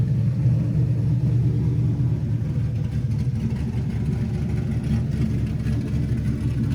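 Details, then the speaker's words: LS-swapped Camaro V8 test fired after first-drive damage was fixed and a new 3-inch X-pipe exhaust fitted, no mufflers: deep, smooth rumble pulling strongly then settling to a steady drone, no knocks or rattles; sounds much better, engine healthy. "This sounds way, way better. It's a long trip back from Mexico, but how could you not love that?"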